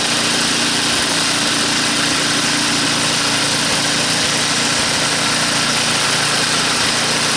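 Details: Tecumseh small engine pulled from the scrap heap and restored to working condition, revved back up: bright, steady buzz at high revs without surging, misfires or rattles; runs clean and strong, normal.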